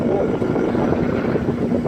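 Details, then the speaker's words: Old Sharp Comfort Touch air conditioner, possibly dropped out a window by a previous owner, fan on high; loud, steady, rough roar with no rattling, quieter on medium and low, loud fan noise, cause unclear. "And it makes a really loud humming sound when it's on high. Alright, here we go. Alright, this is high. Yeah, pretty bad. Got a very crazy sound."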